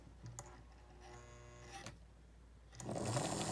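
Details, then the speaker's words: 1955 Lionel 736 Berkshire O-gauge locomotive after tear-down, re-lube and rewiring the brush holder wire, first test run: quiet smooth whir, even pitch, then runs up louder without grinding; motor runs freely, much better than before. "Oh my, yes. Oh no. Well, that's a lot better than where it was when we started."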